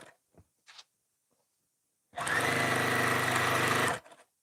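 A quick sewing burst runs a couple of seconds with a rhythmic clatter near four beats a second; the knock remains, cause unknown.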